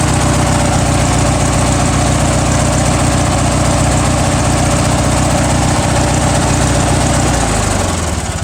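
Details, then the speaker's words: Murray 17.5hp riding mower with 42 inch deck, cold start with choke, carburetor cleaned, blades not engaged: steady even single-cylinder thump at idle, no misses or knocks, winds down cleanly; runs healthy. "she runs good and it mows blades are good on it too"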